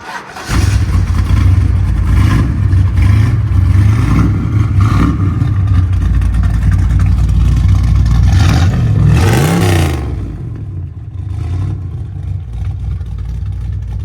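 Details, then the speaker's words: 1960 Ford Fairlane with a 460 big block and an unknown cam, fired up late at night after purchase: it catches and settles into a deep, lumpy, loping idle with an uneven beat. Sounds like a healthy performance cam. "sounds like it's got a healthy cam in it I don't know anything about it"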